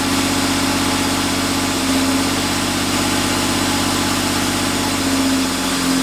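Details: Steady, even idle hum with a constant low drone and no knocks or misses on a 1990 Chevrolet Cavalier Z24 at first start after an 18-month restoration with temporary wiring and makeshift intake; oil pressure good, runs smoothly.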